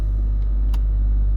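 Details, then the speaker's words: Range Rover L322 3.6 TDV8 Hitachi air suspension compressor still running with no suspension errors while raising; steady deep unfaltering drone, pumping normally; owner still suspects a possible split air strut bag slow leak. "Yeah that compressor is still going. I don't know you can hear that on camera?"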